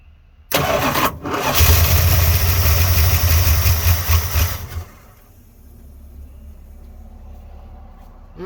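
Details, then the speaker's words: 1986 Dodge Ramcharger just after carburetor install, fuel poured down the carburetor throat; engine catches, runs rough about three seconds then dies; owner suspects the carburetor needs more fuel. "not too bad uh sounds like it might need a little more gas in the carburetor"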